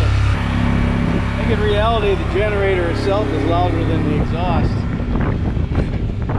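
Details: Generator in a bus-to-RV conversion fed by a new 12 V 5.5–9 psi fuel pump; a smaller pump (thought to max out around 4 psi) won't work. Steady low drone at an even speed, no surging or dying. Running properly.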